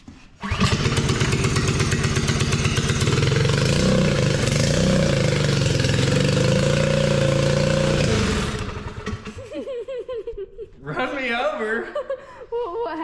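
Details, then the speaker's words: Mini bike with a swapped-in Harbor Freight Predator 212 engine, first start while the side cover leaks: engine catches and screams flat out for seconds without dropping to idle. Throttle stuck open, likely missing its return spring. "Who hooked the throttle up? I I I thought it came back."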